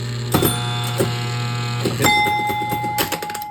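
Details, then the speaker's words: Gusher electromechanical pinball, hole relay driving the disappearing thumper bumper, playfield not upright: irregular clicks then fast rattling chatter over a faint hum; hole relay struggling to pull in. "It struggles a little bit when it's not upright. There we go. And that moves the whole bumper up and down."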